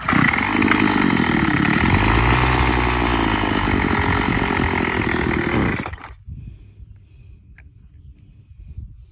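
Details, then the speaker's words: Craftsman WS210 string trimmer; carburetor replacement did not help. Screams at high revs for about six seconds, then abruptly cuts out. The engine dies shortly after starting; cause not yet found. "[Music] [Applause] [Music] and that's how long it lasts"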